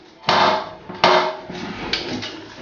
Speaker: ну как раз таки вот эта проблема может испортить ваш бачок он попросту может треснуть от частого ударения